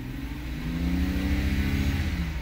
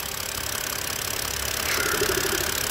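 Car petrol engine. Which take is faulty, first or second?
second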